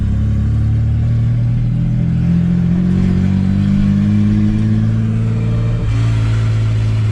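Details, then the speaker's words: AU Falcon drift car with a replacement gearbox after the old one seized. Road test from inside the cab, shifting into second and third: revs climb steadily and drop cleanly on each shift, with no whine or clunk. Shifts nicely and the gearbox is healthy. "second yes we got second third third we've got third gear it's running really nice this is our gearbox actually shifts really nice as well"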